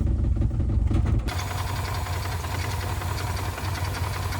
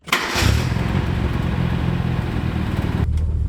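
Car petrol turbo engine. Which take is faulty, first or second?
first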